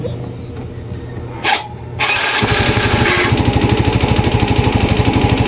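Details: Yamaha Mio i 125 (M3) scooter with battery connected, which misfires, sometimes won't start and smokes heavily, with an O2 sensor whose voltage doesn't fluctuate: starter whirr, then a lumpy idle pulsing about three beats a second. Rough running.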